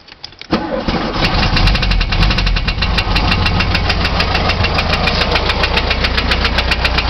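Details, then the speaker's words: 1973 VW Beetle air-cooled engine after rebuild and valve adjustment (valve gap correct, ignition timing not yet set) idling with a steady light knock, about four a second; cause unknown. "hey guys just got done with the valve adjustment but I still hear some knocking so I'm going to take a vid real quick and see what you guys think it is"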